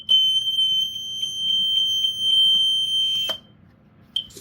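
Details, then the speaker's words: BRK 1200 smoke alarm: loud piercing high beeps about three a second for three seconds, then a short chirp; alarm horn works normally. "Okay, it works. Yeah, I'll have to test this in another clip because my dinner somehow became ready."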